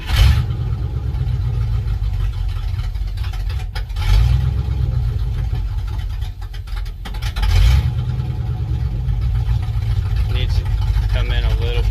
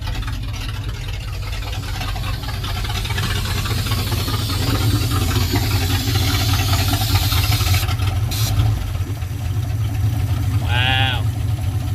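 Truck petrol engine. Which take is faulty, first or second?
first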